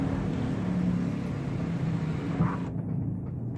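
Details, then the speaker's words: Infiniti G35 while driving: a steady, low droning hum under road noise that is audible when turning right but not when turning left. A worn driver's-side wheel bearing is due for replacement. "right now I'm about to go Auto Zone and grab this wheel bearing for the driver's side cuz I'm getting like that humming noise"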